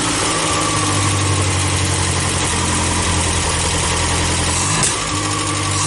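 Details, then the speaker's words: Carbureted International Scout 80, warmed up, oil bath air cleaner and choke not yet fitted: fast uneven idle with a stumble near the end, never settling low; owner suspects current carburetor idle setting. "it still couldn't idle all down low enough I think it's how I have it set right now"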